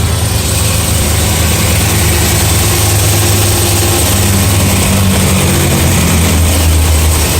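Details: BMW E92 M3 S65 V8, 65,600 miles, oil changed 300 miles ago, idling: deep steady rumble with light ticking, developed cold, quieter when warm but still present.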